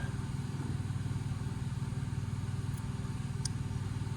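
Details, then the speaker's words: 31-year-old York AC condensing unit: steady low hum with a soft even beat about twice a second, fan runs but compressor never kicks in; compressor fails to start, wiring (black, red, yellow) to be checked. "No compressor. That's not good."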